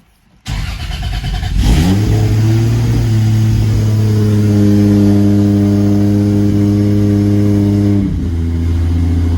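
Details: Lexus SC300 with 2JZ-GTE swap on EMU Classic ECU, not yet fully tuned, 4-inch straight-pipe exhaust: cold start catches quickly, flares to a high cold idle, holds a steady even drone, then settles lower. Normal cold start and idle.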